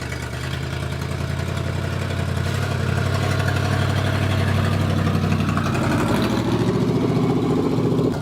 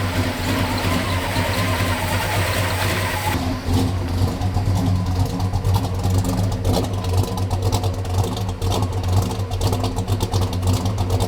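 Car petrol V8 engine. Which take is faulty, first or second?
second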